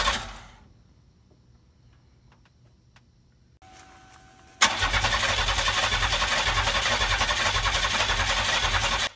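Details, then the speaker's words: McLaren M6GT replica with GM 3.8L supercharged V6 from Bonneville SSEI: starter spins about four turns a second for several seconds, never fires; crank no start, owner suspects computer needs flashing due to key security lockout. "i'm starting to realize that the computer probably needs to be flashed uh there's a security lockout on these computers where if the key is not in the ignition that matches it to this computer that the car will not start"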